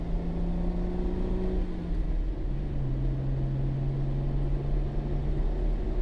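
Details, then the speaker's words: Jeep with manual transmission driven under load to higher rpm after belt and pulley cleaning fixed a high-pitched squeal above 2000–3000 rpm; even engine hum climbing and settling, no squeal; normal belt drive after fix. "It runs better than it did before, as in I don't hear a squeal when I get to a higher RPM."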